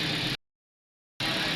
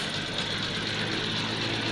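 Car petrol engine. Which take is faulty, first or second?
second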